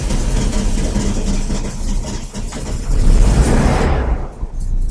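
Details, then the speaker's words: 1941 Cadillac flathead V8 barn find, seized then freed, new head gaskets, first start after 42 years dormant with no proper fuel system hooked up yet; low steady pulse, briefly picking up then dying away; normal running. "but after that engine being as stuck as it was to hear it fire up tonight i could not be more thrilled"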